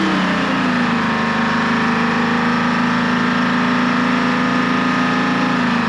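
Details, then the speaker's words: American 25 excavator with Detroit Diesel 6V53 two-stroke, first start in two years: loud, steady high-speed howl with no settling toward idle. Engine starting to run away; hitting the shut-off slowed it, cause unknown. "that sounded like it was starting to run away I had to hit the shut off and then when I hit it it actually seemed to slow down so I'm not sure what's going on in there but um it's running so I guess that's good"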